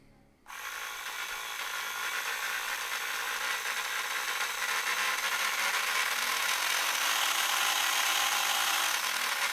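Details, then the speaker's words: Policar slot car run hand-held: harsh, gritty high-pitched buzz, noisier than the blue car; owner suspects the inaccurately cast plastic pinion gear. "those gears are really not as good as the ones on the blue car it's a lot noisier now I don't quite know why that is but I'm going on the fact that the pinion is plastic"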